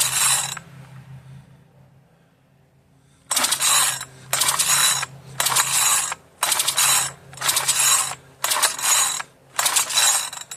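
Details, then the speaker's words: Marketplace-find two-stroke machine that earlier ran rough and died, given extra lubrication: about eight quick, rattling recoil pulls, roughly one a second, and it never fires. The owner judges it parts-only. Cranks but won't start; cause unknown. "I don't think I'm going to get any fire out of this one. I think this one is strictly for parts, and barely that."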